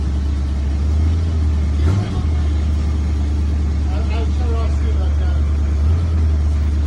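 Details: 1967 Mercury Cougar V8, roughly 85,000 miles, barn-stored and unstarted for 15 years, at its first start: deep, steady idle with an even low rumble and a brief blip near two seconds, running smoothly after long storage.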